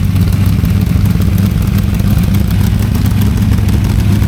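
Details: Freshly built small-block Ford V8 on a DIY engine run stand for break-in, before a planned fuel injection swap: deep, even burble at steady idle with no knocks or ticks; normal clean running.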